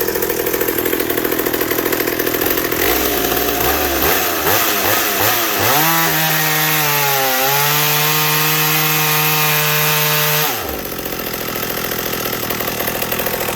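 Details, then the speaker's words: McCulloch 790 chainsaw fitted with an MC101 kart engine, custom header and pipe, 7-pin sprocket and semi-chisel chain, cutting oak: high-revving two-stroke pulls down a touch into the cut, holds strong steady pitch, then frees up; running healthy. "was that not amazing that saw this only has a seven pin on it mind you"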